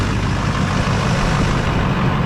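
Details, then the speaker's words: 2005 GMC Duramax LLY diesel, just after the fuel filter head was replaced to fix a long crank caused by an air leak: it took about seven seconds to start, then settles to a deep, steady, even idle with no stumbling. "so just cranked it took about 7ish seconds uh to turn over"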